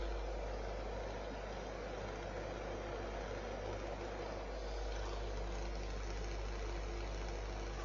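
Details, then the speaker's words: Fan heater after a temporary electrical-tape repair on the fan spindle, thermostat turned down: smooth, even low hum with a faint steady tone and no scraping or ticking; fan spins freely. "again i've turned the thermostat down and that's spinning you can hear the noise"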